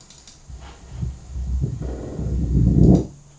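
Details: Tesla Model S front suspension rattle recorded with NVH microphones at caliper bolt, top wishbone, anti-roll bar link, and in the cabin: dull irregular thuds in uneven bursts, the knock the customer hears over speed humps.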